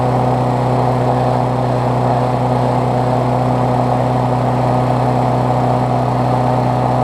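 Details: Briggs Classic engine swapped onto a Bolens push mower deck, run after fresh gas and 16 oz oil on a temporary throttle: smooth, constant mid-pitched hum at steady speed, no surging or sputter; running properly.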